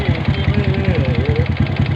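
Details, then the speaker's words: Honda Wave 125 motorcycle with a hard-start problem, idling: rapid, regular clacking that keeps pace with the engine; mechanic says it isn't the valves and suspects worn rubber dampers (three-piece set) in the old bike, unconfirmed. "นี่มันบ่เกี่ยวกับวาวแล้วเนี่หบ่เกี่ยวบ่"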